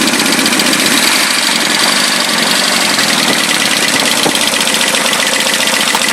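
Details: Nissan 200SX SR20DET at idle, sharp even metallic tapping riding over the engine and following revs; knock disappears when cylinder one plug is pulled, owner guesses bottom end or rod knock.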